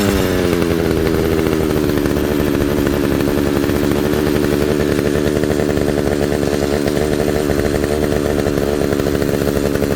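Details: Pioneer P61 100cc chainsaw, received with no spark, now firing. A steady, even high-pitched two-stroke buzz holds speed without sputtering or dropping out. Normal running.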